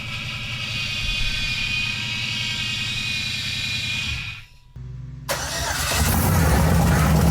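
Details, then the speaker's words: LS V8 swapped into an S10, first start on open headers: it fires quickly into a rough idle with a rubbing, scraping noise. A pulley sits too close and rubs the belt. "Okay, we have fire. I don't know what that noise was though."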